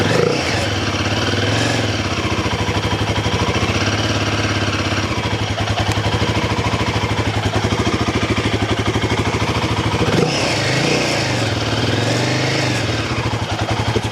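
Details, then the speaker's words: Royal Enfield Himalayan 450 after 5000 km service with new DNA Performance air filter and cover: single thumps evenly at idle with a couple of clean blips, slightly throatier intake note; healthy, steady idle. "You only hear it really when the engine's under strain and you're cranking it, right? Like at idle it's pretty much at idle it sounds pretty similar to the uh standard"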